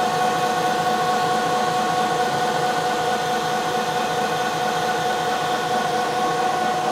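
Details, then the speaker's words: 1 HP Bridgeport R8 milling head on a converted planer, 5-inch 45-degree face mill, light finish pass on bar: even high cutting tone over steady hiss, no chatter or pulsing; pretty smooth surface. "I come in here behind the cutter that's a very smooth cut it doesn't look good you can kind of see some swirls but it's actually boy that's a that's pretty smooth"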